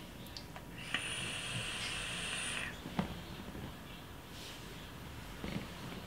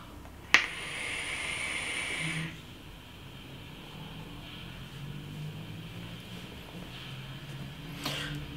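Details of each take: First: Aspire Tigon pen-style vape, airflow closed halfway for warmer vape: thin high steady whistle over the draw hiss for about two seconds, an unpleasant whistle caused by the half-closed airflow. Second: Aspire Tigon pen-style vape, 0.4 ohm coil, direct-lung draw, airflow fully open, about 25–28 W bypass mode: two-second airy hiss during a draw, stopping cleanly; smooth unrestricted airflow, satisfying vapour.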